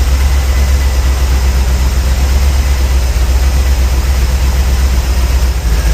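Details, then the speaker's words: 454 big-block, about 36° total advance, four mufflers: deep lumpy idle with irregular pop, stops when warm until revved; owner unsure whether bad spark plug or sticking lifter. Cause suspected, not confirmed. "that popping I don't know if that is a bad spot bugs or a lifter sticking"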